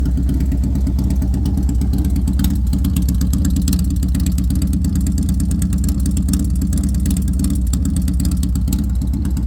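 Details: Harley-Davidson Sportster V-twin at idle after a rev: lumpy, uneven beat with missed pulses. Misfire, cause unknown.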